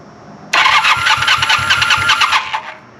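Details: 1980 Honda CB400 T Hawk, bought as non-runner, first start attempt after carb rebuild and oil change, choke on, fuel fed from bottle; starter spins about two seconds with steady chugging beat, never catches: cranks but does not start.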